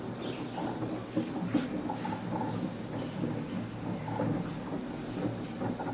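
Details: Samsung WF1124 front-load washer: low motor hum as the drum turns, broken by repeated high squeaks and chirps; noise growing more frequent, once only loud on spin, now also loud while washing.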